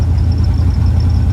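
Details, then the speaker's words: 1978 Chevy Van with newly installed Vintage Air Monster Box AC, compressor run only 5 minutes, blower on speed 3, at idle: deep steady idle with smooth blower rush, no squeals or rattles; cold air from vents, AC running normally. "The compressor has only been run for 5 minutes, but we're just gonna fire it up and go for it. I'm gonna set the switch on speed number 3."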